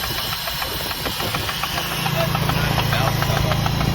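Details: Nissan Silvia S14 (240SX), first test drive after build: hard, rapid knock about three or four per second through the idle, with oil soaking the top of the injectors and leaking from the valve cover; badly knocking engine.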